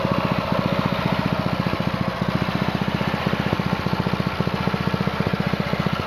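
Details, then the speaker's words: New Honda GX200-clone single-cylinder on a Split-Fire 2265 wood splitter, breaking in after two 20-minute runs, restarted at idle, choke off: even low thumping about four beats a second, no ticks or misses; normal idle. "I'll show you that it fires up on idle. So we're on idle, choke's off, gas is on, throttle's on."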